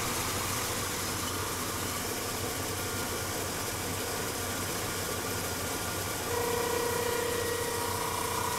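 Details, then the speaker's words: 1983 Chevrolet Caprice, warmed up, below about 2000 rpm: steady idle with a thin, mid-pitched, pump-like whine rising near the end; it appears only when warm or on hot days, and the owner guesses the water pump. "alright just wanted to show you guys some weird noise that my car's been making lately sounds like a pump but I don't know where it's coming from it happens only when the car is warmed up or if it's hot outside"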